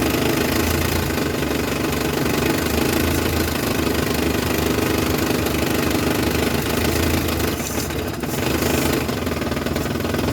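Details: Classic camper van, under 100k miles, a mechanic called it a smoke show; owner's own repair, running in drive: steady even engine note, no misfire or stumble, slight background rattle; running normally after the fix.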